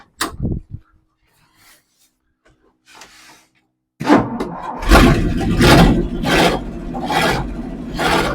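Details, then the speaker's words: 1963 Ford F100 unibody with Y-block V8, not run in over 20 years; exhaust cut off passenger side tapping crossmember, no valvetrain noise. Rough, loping idle with regular exhaust pulses, keeps running on its own: normal idle. "idle this is awesome this set you idland on his own love it love it love it"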